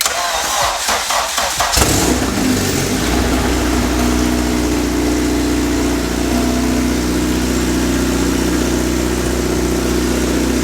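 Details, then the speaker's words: Honda FA5 Civic with K24 swap, all-motor build with aggressive cams, first start on open header: cranks briefly, catches, settles to loud steady even idle, no knocks or misses; healthy first start. "I mean, it's open header, but you can like hear it working. That's what Danny said. This sounds good."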